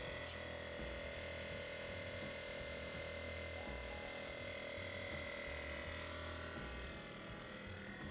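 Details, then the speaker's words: BMW air suspension with the faulty rear compressor replaced by a new aftermarket unit, just after its fuse is reinstalled: a steady electric hum with a constant high whine and light pulsing. Normal compressor operation; the car then lifts. "Now we need to reinstall the compressor fuse. It is 4A. As soon as we installed it, the compressor started running."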